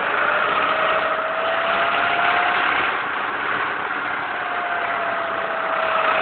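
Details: Lada Priora at 55,000 km after piston group replacement, knock since 51,000 km, first only above 70°C and now constant, louder on cold start: steady, slightly uneven idle with faint regular metallic tapping. Engine knock; owner wonders whether the hydraulic lifters are at fault.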